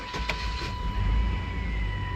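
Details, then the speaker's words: 1996 Chevy S10 after fuel line and filter replacement, pump primed first: brief crank then an immediate start into a steady low rumble, without the usual hard start or rumbling vibration; normal start. "oh it cranks straight up okay and i didn't have a hard start like i normally do when it was clawed i don't feel that rumbling vibration"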